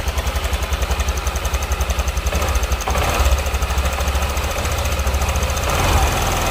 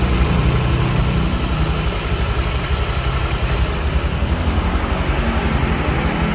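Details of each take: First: Honda Vario scooter at idle: coarse rough beat about three pulses a second with light clatter on top; worn cam chain tensioner, to be replaced. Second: Honda Vario scooter idling after replacing the cam chain tensioner, throttle body refitted: steady, even low putter with no top-end clatter or ticking; engine now sounds smoother and quieter, engine teardown seemingly not needed.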